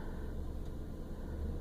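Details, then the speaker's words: 1999 Toyota Land Cruiser 100 series after Bosal muffler replacement, first cold start, recorded in cabin with door closed: soft even low rumble, no leaks heard; much quieter than before. "Much improved. And hopefully that'll come through on the sound clip, but it is much quieter."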